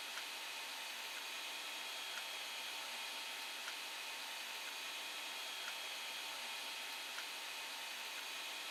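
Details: Creality Ender 5 Plus with replacement silent TMC2208 board, printing: constant airy hiss of part cooling and hot end fans with faint soft ticks; normal fan noise.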